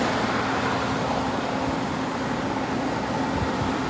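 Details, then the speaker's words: 2001 Kenmore (WCI) 8,000 BTU R-22 window AC, likely low hours, heard close up; steady fan rush over a low even compressor hum, no rattles or knocks; air in the low 40s °F, running healthy. "It just sounds like the fan's on, but this air is nice and hot. You can hear it when you get up close."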